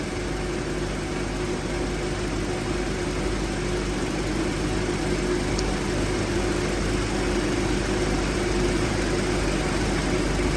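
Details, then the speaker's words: 2005 Honda Element at 84°F ambient: steady idle with the AC compressor clutch engaged and condenser fans running, a smooth drone with no rattles, before the clutch cycles off; the AC is working normally. "you can hear the compressors on and you can see this starting to stay more solid while the fans are on and the compressor is"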